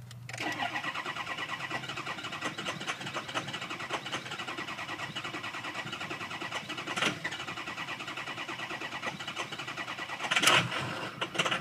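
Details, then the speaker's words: Ford 6.0 Powerstroke diesel crank no start: steady rapid cranking whir for over ten seconds, never firing. ScanGauge shows enough ICP, IPR not maxed, FICM sync present, but FICM main power well below 45 V; diagnosed failed FICM. "we can see we have enough ICP pressure IPR wasn't hitting Max we did have thickum snc but the voltage is way too low on the fium main power so this one is a fium"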